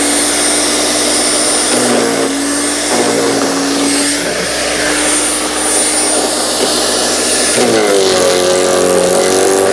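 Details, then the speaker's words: Earthwise GS70015 15 amp electric wood chipper chipping twigs, about as loud as a decent leaf blower. Loud high motor whine with steady cutter roar, crackling and dipping briefly as twigs feed, then recovering pitch; normal operation. "Now, this thing is pretty darn loud. It's about as loud as like a pretty decent sized leaf blower."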